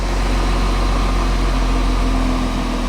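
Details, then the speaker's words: Half-repaired VW Touareg diesel, first start after sump refitted, no coolant or power steering fluid: smooth even idle, steady low rumble, no knocks; revs a bit lazy. "I didn't expect it to start so quick, I'll be honest. It sounds spot on, that actually. Spot on."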